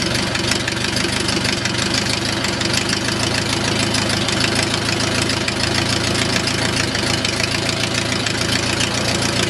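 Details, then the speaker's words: O-84 (4A084) converted to fuel injection, warm after high-power run: steady, even 600–650 rpm idle with regular firing beat, no stumbles or knocks; normal warm idle. "there's a normal 600 to 650 rpm Iowa without 18"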